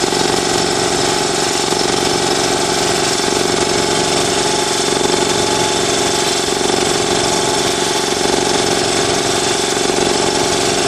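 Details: New Ingersoll Rand TS4N5 80-gallon compressor, 5 hp 230 V motor, 15.8 CFM at 90 PSI, 175 max PSI, cuts in near 140 and off at 170 PSI: loud, steady, rapid pumping chatter with no knocks or squeals; quiet, healthy compressor running.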